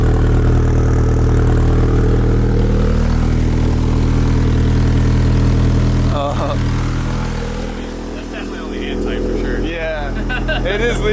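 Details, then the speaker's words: Nissan 300ZX Z32 with swapped KA24DE, Artec manifold and Garrett G30-660 turbo, new Greddy exhaust just mounted, hangers unfinished, flanges only hand tight; idling low rumble with fast even puffing, exhaust leaking at the loose flanges. "the exhaust is fully mounted into position we don't have all the hangers done yet but we want to hear how it sounds that's definitely only hand tight for"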